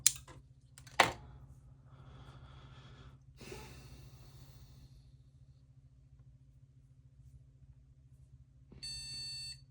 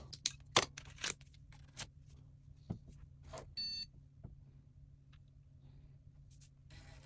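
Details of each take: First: Shuttle HOT-433 motherboard being restored, newly installed cache chips, quiet room: a few clicks, then one short beep only after about eight seconds; slow POST, owner suspects turbo switch jumper needs clearing, beep sounds slightly off. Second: Shuttle HOT-433 motherboard under restoration with newly installed cache chips, powering up with a spare crusty floppy drive attached: handling clicks, then one short clean POST beep; board passed self-test.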